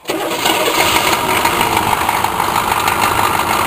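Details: Chevrolet Blazer diesel parked five hours in freezing weather, glow plugs cycled ten seconds: brief crank, then it catches at once and settles into a steady, even clatter with no stumbling. Normal diesel cold start.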